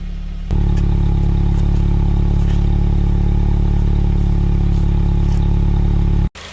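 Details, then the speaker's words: Honda Civic Type R EP3 idling after throttle body clean-up, throttle cable left off: steady even idle hum, smooth low drone, the earlier hissing now gone; engine sounds healthy. "Listen to that. Much better. No hissing as well now."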